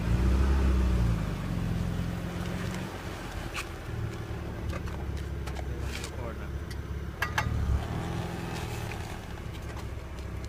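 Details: 2008 BMW 328i petrol engine running with a low rumble and sharp, irregular clicks popping through it; began about a month ago, cause unknown.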